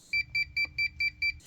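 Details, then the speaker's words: Polar UV water treatment sterilizer beeping six quick high double beeps: a controller timer's lamp-change reminder after about a year, not a sensed bulb fault. A new bulb alone doesn't clear it; the manufacturer's chip key resets it. "You see, this beeping isn't caused by the system sensing that it needs a new bulb. The beeping is caused by an internal timer inside the controller that kicks off after about a year and then signals to me it's time to put a new bulb"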